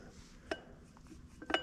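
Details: Rebuilt circa-1973 cast-iron differential hub, welded with Ni 99, machined, with new bearings and to run 80-90 weight oil. Gears rocked by hand give two sharp metallic clinks; backlash set to about 0.010 without a manual, with no grinding, which seems normal.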